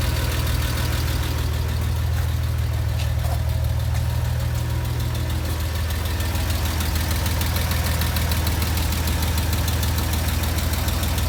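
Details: Porsche Boxster 986 at idle after spirited driving, very hot: fast light tick about three per second over the low hum, mostly driver's side, gone after parking 2 minutes; owner wonders lifters or exhaust, cause unknown.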